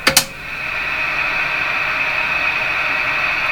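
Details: Johnson Messenger CB radio after a capacitor replacement, final test with squelch down. Two switch clicks, then an even hiss with a faint steady tone; the receiver is alive and picking up band noise normally.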